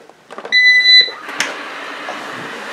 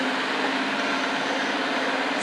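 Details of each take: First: Eufy RoboVac 30C after replacing the rattling suction fan: a start-up beep, then the fan winds up to an even, steady whoosh with no rattle or scraping. Normal running after repair. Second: Eufy RoboVac 30C after removing debris from the suction fan and securing a rattling board: a steady, coarse whirring hum with a fixed low drone. Three beeps still signal a stuck suction fan; the fan is damaged and running rough.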